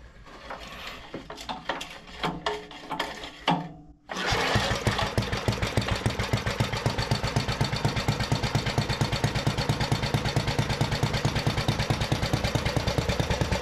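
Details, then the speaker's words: 1973 Briggs and Stratton-powered Giant Vac leaf blower, long unused and apparently seized, restarts after clattering without choke and settles into a strong, steady, even beat, pumping lots of air; throttle linkage still sticky; runs normally. "oh man that thing is pumping some air man this thing sounds good"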